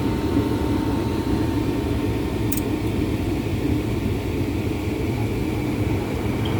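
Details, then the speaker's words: Gas furnace with an on/off heating fault, after the burner flame is established: the large blower motor at the bottom runs with a steady, even whoosh and faint hum plus one light click, no grinding or squeal; normal. "Alright. The flame is blowing. Now the blower motor will turn on, which is down here, the big one."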